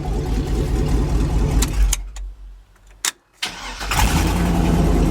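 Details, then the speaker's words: Old truck with 6.0 L engine and 4L80E after VATS anti-theft deleted via HP Tuners: engine cuts out briefly, then catches and settles into steady even idle; starts and runs normally. "does just what it's supposed to and it dries so i guess that's a win"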